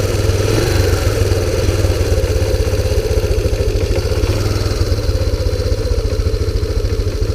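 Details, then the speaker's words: 2001 Kawasaki Bayou 300 after the timing adjustment, idle just turned down: a single-cylinder idle thumps at a fast, slightly uneven beat with some clatter; rough idle, suspected cheap China carburetor or intake vacuum leak, unconfirmed. "It's just not quite idling as smooth as I would like it to"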